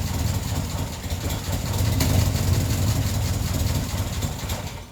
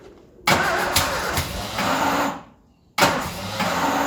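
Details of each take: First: Ford Escort neglected 14 years, idling on the fuel left in the carburetor bowl after being flooded, fuel supply not yet sorted: steady, even low idle, dies briefly and picks back up; idles nicely until the bowl runs dry. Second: Ford Escort revived after 14 years neglected fires on starting spray: two short ragged bursts that fade out; runs only on spray because of a fuel supply failure. Not healthy, but fires up.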